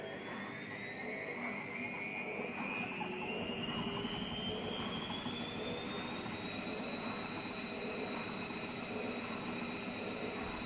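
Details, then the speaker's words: Zanussi ZWG7120K (6kg, 1200rpm) washing machine, Cottons 40°C final spin: high whine climbing as the drum reaches full speed, with a quiet pump and a faint loose rattle underneath. Owner thinks better levelling of the feet would cure the rattle. "now as you can hear the pump's not that noisy um and the spin's not horrendous if it wasn't for the rattling which i could probably cure if i spent a bit more time getting the balance of the feet just spot on"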